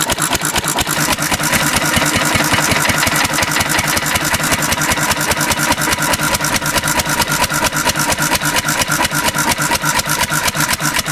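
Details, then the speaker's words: 1950s Cushman Cub one-cylinder four-stroke governed stationary engine switched from gasoline to 91% rubbing alcohol: fast popping turning uneven and stumbling as it struggles on the alcohol-diluted fuel. "it's starting to struggle yeah not happy with this decision"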